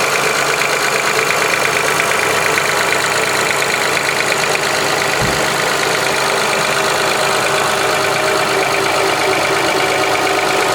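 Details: 2005 Honda Accord V6 at idle: busy, fast, uneven ticking, about three per second, buried in a loud idle; piston slap, valve tick or injector click suspected, not confirmed.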